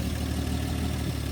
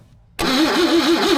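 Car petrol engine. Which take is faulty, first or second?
second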